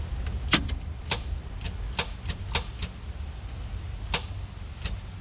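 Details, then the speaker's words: Truck first crank after months of wiring work and starter relay rewiring; sharp uneven single clicks, starter engages but doesn't turn engine; cause found to be old battery. "Well, the starter is engaging, but it's not doing anything other than that."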